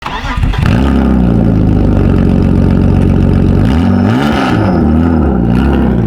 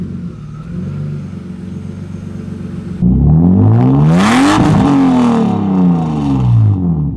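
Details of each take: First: BMW E36 drift car after blocked catalytic converter removed: engine fires and revs with harsh, booming, raspy exhaust far louder than stock; loud exhaust from catalytic converter removal. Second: BMW E36 drift car after its blocked catalytic converter was replaced with a new one: quiet idle, then a loud rev climbing and falling back cleanly with a smooth deep exhaust note, no leaks or rattles; normal.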